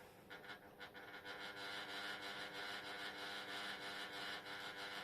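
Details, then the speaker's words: Old Jundes synchronous clock motor plugged in before disassembly: faint, quick, uneven ticking and scratchy whirring at about three beats a second, labouring; runs rough, owner plans cleaning and lubrication. "as you can hear, that doesn't run good."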